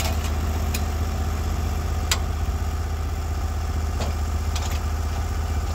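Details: Norwood HD36v2 bandsaw mill, day two testing new roller guides that replaced the ceramic guides, slabbing big black oak through bark at about 24 in wide: a steady, deep engine drone holds firm with only occasional light clatters and no bogging; the cut was flat and effortless.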